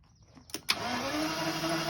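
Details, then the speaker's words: 1986 Jaguar XJS with rat-damaged wiring, after a wire repair restored cranking; fuel smell present: starter spins the engine at a steady, even whirr but it never fires; crank no start, no spark. "we're cring now now we just got to see I can smell the fuel so it's looking like we're we're lacking spark"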